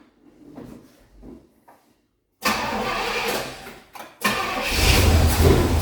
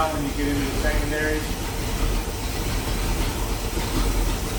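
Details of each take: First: 1973 Pontiac Ventura, rebuilt 350 Pontiac V8, carburetor replaced after draining 26+ year-old gas; first-start idle: after a few cranks it catches and idles roughly with irregular pops; four-corner idle screws out of balance (1.5 turns front, 0.5 rear), owner expects setting them cures the pop. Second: 1973 Pontiac Ventura, rebuilt 350 Pontiac V8, replacement carburetor after mixture richened: deep, steady low rumble with no pops or misses; popping gone, smooth idle.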